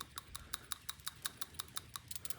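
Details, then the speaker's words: PCV valve from a 2009 Toyota Camry 2.4 L, removed, cleaned with carb cleaner and shaken by hand. Crisp, free metallic clicks about six per second as the check ball moves freely; the valve is good and needs no replacement. "So this is a good one. You don't need to change it now."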